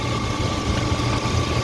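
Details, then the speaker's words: 2007 Silverado 2500 HD 6.0 at idle after power steering pump and pressure line replacement, steady even low rumble with no whine, groan or hammering; normal idle, power steering noise fixed. "everything sounds copacetic the hammering groaning is gone"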